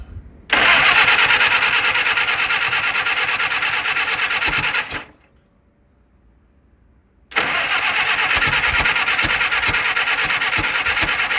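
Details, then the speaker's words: 1948 Willys CJ2A Jeep engine first start after decades of storage: catches with a fast, rough beat, cuts out for a couple of seconds, fires again, smoking heavily and pumping oil out past a leaking gasket; timing being advanced. "Let's advance that just a little more. That is pumping some oil out. It's trying. Smoking like hell, didn't it?"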